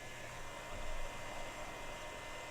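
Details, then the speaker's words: Early Compaq Presario desktop (Windows 2000/ME era) with no activity on startup, power supply test-connected to motherboard only, no hard drive: steady, even whoosh of power supply fan, no ticking or grinding; fan running strong, normal. "the Fan's running strong it sounds good the Fan's running on this I can feel it"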